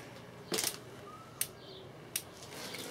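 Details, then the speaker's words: Dometic/Electrolux RM212 3-way caravan fridge, igniter on a 12-volt bench supply after servicing a hard-to-light fault: sharp crisp high-voltage spark ticks about every three quarters of a second with a flash each tick; normal igniter ticking. "So the way the fridge works is this is the control for the igniter, and this is your control for your gas. So we're going to turn that on. Straight away you can hear it ticking."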